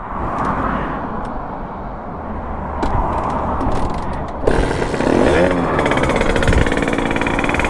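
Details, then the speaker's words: Sherco 50 supermoto two-stroke with a 77cc Metrakit, being tuned and seeming to want a small pilot jet: a steady, crisp popping idle burble that picks up slightly. The idle sounds clean and improved. "the idol sounds better oh wow okay that's a little better"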